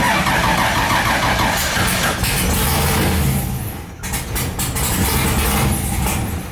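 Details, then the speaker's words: LS3-swapped Nissan 240SX (S13) first start after new starter and hot-wiring the unpowered converter box: catches and revs, sags and nearly dies, then picks back up unevenly. Hard starting and stumbling after start, cause unknown. "it's not wanting to start nicely, but we got it running."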